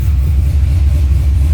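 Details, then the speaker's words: C6 Corvette Z06 with Akrapovic dual-mode catback, exhaust valves open, short rev after cold start: deep loud V8 bark with heavy low rumble, no rattle or knock; healthy. "so there was the valves closed and now i'll open them up and do the same the same little rev"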